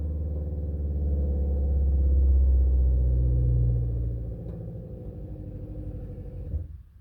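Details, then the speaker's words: RV water pump after a 1/2" PEX crimp leak repair with the taps closed: steady low hum with a fast even pulse that fades and cuts off cleanly. The pump reaches pressure and stops, confirming no leak. "That's what you want to hear. You want to hear the pump stopping. You want to see on, off, on, off."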